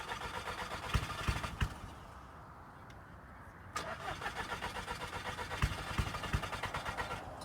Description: Scirocco cranks but wont't start or stay running. Cranking and killing the battery